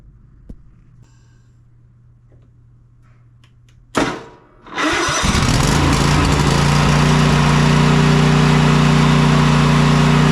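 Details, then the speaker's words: Cub Cadet Enduro XT2 mower, 679cc EFI engine, after cleaning electrical connections and checking fuel shutoff, start and safety switches: brief crank, catches cleanly and holds a smooth steady idle; starting fault fixed. "just goes to show that that was definitely the issue we've started it enough to prove that he said it would start"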